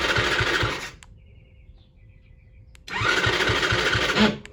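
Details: Two bursts of quick starter churning with a pause between on a 50cc kid's quad, started via its remote start; the little engine never fires, and the starter button/switch may be miswired; fuel delivery through the carburetor suspected.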